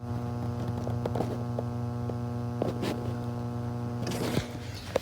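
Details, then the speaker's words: 1956 Nordmende Fidelio 56 3D tube radio, camera at the speaker: after the audio fades, a steady low mains hum with a buzzy edge drones; owner guesses a leaky audio output tube, not confirmed. "I put the camera right now right after the speaker you might be able to hear that buzzing the knots and the speaker go back"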